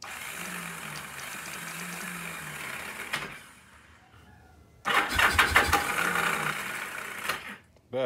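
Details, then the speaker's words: Free old Kawasaki KZ750 motorcycle: starter cranks in uneven bursts, keeps kicking out (suspected bad starter clutch gear), engine never catches despite carb cleaner; no spark seen, owner suspects old ignition points. "do not see any spark"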